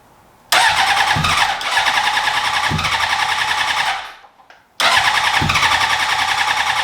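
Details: 2003 Honda CBR600RR track bike project: two long fast, even starter-cranking bursts that never fire. Cranks but won't start; fuses checked, no fuel pump heard, and the fuel pump is suspected of not getting power.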